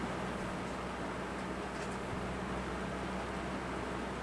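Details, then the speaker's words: Early-2000s Lasko 3515 Air Companion fan, dusty motor, initial checkout: smooth steady airflow with a faint low motor hum, no ticks or rattles, very quiet and strong; normal running. "Oh wow, that's pretty good. It's very quiet and it's very strong."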